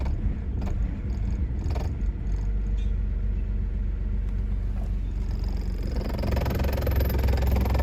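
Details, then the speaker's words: BMW 328i after battery replacement for a no-crank no-start, just started: uneven, lumpy low idle that stumbles then builds; smoking at first as old oil burns off, old gas suspected, owner says it needs a tune-up and spark plugs. "running rough but get getting there something burning little bit might old oil clean all way off tune up though Def need on spark plug"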